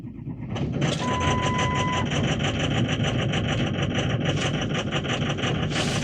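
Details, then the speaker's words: Ford Excursion 6.0 Power Stroke diesel cold start at 6°C, after oil additive and hard 60–80 km drive for sticking injectors; rough, clanky, noisy uneven idle, still shaking and misfiring, less smoke. Rough cold start from sticking injectors. "okay a little rough [Music] still little clanky a little noisy smoke is definitely much better she's still shaking and misfiring a little bit"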